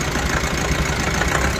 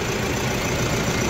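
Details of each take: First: Mahindra Bolero Pickup BS6 diesel that stalls after starting, just started: lumpy, shaking idle with uneven knocks and heavy engine vibration; codes P0088 (rail pressure high), P262B, P128, P1233, P1832. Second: Mahindra Bolero Pickup BS6 diesel with a starting problem (codes P0088, P262B, P128, P1233, P1832), after pump work and code erasure. It gives a brief, steady diesel clatter at idle with an even rhythm and runs normally.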